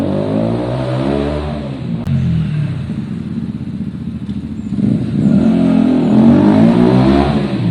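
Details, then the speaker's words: Zontes motorcycle after fixing a bad idle that cut out when stopping, warmed up: engine pulls cleanly as throttle opens and eases back, revs climb and settle without stumbling or cutting out; normal running, problem solved. "it ran beautifully guys and it did not cut out problem solved"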